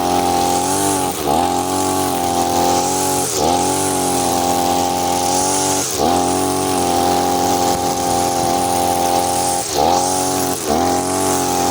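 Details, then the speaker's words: Side-mounted two-stroke brush cutter with nylon line, factory carburetor mixture screw too loose, as on new engines: high buzz that sags and bogs every few seconds under load; rich carburetor mixture, fuel-hungry, no power. "Biasanya kalau mesin baru dari toko itu akan seperti ini guys ya. Mesinnya boros, tenaganya nggak ada."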